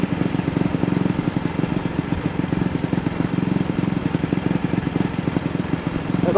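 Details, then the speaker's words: AJS single-cylinder motorcycle ridden in second gear at very slight throttle, after the carburettor slide was cleaned for a sticking throttle. Uneven, stumbling thump with skipped firings; it still misfires when opened wider. Cause not found. "I hope that I had done something to improve the throttle sticking, but it doesn't seem as though I have. Now it's developed this misfire."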